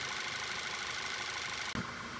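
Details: Volkswagen Jetta GLI after misfire diagnosis with coils swapped and broken connectors addressed, idling even and steady without stumbles or skips for a couple of seconds, then a handling knock; running smoothly.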